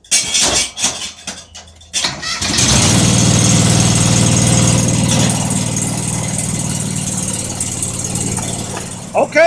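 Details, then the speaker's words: John Deere 425 after fitting a new battery with cleaned, greased terminals; fuel pump heard first. Short crank, then catches and settles into a steady, even idle with no misses or knocks; normal start. "well she's running so uh I think we'll let that run there a little bit"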